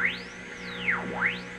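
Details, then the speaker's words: Restored vintage EICO 315 RF generator at 600 kHz unmodulated, output laid near an AM radio tuned to 600: a whistle sweeps down to a low growl and back as the dial is rocked, a normal heterodyne beat showing good output and an accurate dial. "and in between the whistles it's a dead spot that right about there that's when they're dead on cuz what you're hearing when I'm off a little bit is the difference between the two"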